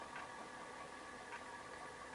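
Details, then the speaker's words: Commodore 4040 dual disk drive on a PET, drive 0 spinning and head moving during a D1-to-D0 disk backup: quiet steady whir, soft head ticks, faint rough hiss; the disk sounds slightly noisy. "it does sound like it's a little bit of a noisy disc in there"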